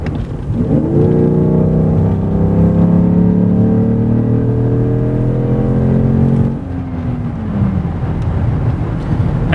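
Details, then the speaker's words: Mercedes S600 V12 after coil replacement, no misfires and only a purge valve code, at full throttle from a stop: smooth V12 roar climbs without stumbles, eases off as pedal lifts. Reached only 35 mph; driver called it sluggish. "all right so listen to this engine I really hope you guys can hear this I'm going to smash on the gas right from the police department"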